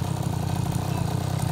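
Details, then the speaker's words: 2004 KTM 50cc Mini Adventure two-stroke after piston ring replacement, new gaskets, carburetor clean, with upgraded polished exhaust: quick, even putter with a steady low beat and no misses or rattles; normal idle. "all right another good one sounds good my needle upgraded exhaust on there"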